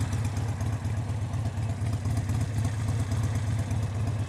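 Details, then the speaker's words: Harley-Davidson V-twin, warm after a freeway ride, idle set low via a new manual idle control knob: a deep, slow, loping beat, steady and even with no knocking or clatter. A healthy idle, not low enough to hurt the engine. "it's not too low that it's going to hurt the engine."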